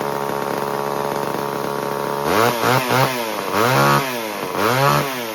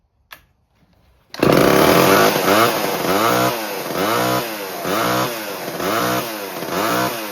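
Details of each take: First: 1978 Homelite XL12 two-stroke chainsaw, started on the fourth or fifth pull after years of sitting: it idles steadily and blips up and back cleanly, holding its tune after running slightly lean with a bog at first; now healthy. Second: 1970s Homelite XL12 chainsaw, first start after years of sitting, with fresh mix and the choke and throttle lock on; surges and sags about every half second, bogging. Running a little lean, with the carb diaphragm likely stiff, and it richened up later.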